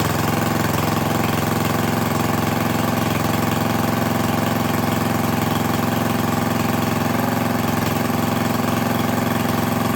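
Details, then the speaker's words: Craftsman lawn edger, 140cc engine, after reassembly following dirt found in the carb: steady even buzz at constant idle with no misses or surging; owner unsure whether it should run faster but assumes not. "I might have to do a little bit of digging see if it's supposed to run at a higher speed than that or not but I'm gonna assume no"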